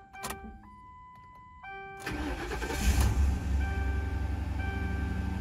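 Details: Ford Crown Victoria/Grand Marquis/Town Car after a fuel filter change, fuel pump cycled and no leaks found: key-on chimes, short crank, quick fire and a steady, even idle, a normal start.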